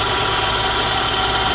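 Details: 2012 Honda CR-V 2.4 idling with a steady, rough whirring hiss from a worn alternator bearing, heard before the alternator was replaced.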